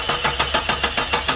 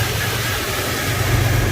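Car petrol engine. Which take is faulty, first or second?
first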